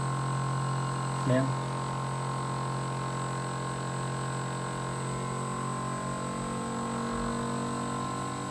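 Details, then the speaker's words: Air conditioner running before repair, compressor working while the condenser fan lacks force with a dirty evaporator: steady electrical hum over a faint, sluggish fan whir, fan turning very slowly; weak fan motor, capacitor suspected. "no sé si alcanzan a escuchar que está como que con forzado y ahí aparentemente se ve rápido de ventilador pero no y ventiladores está girando muy muy lento"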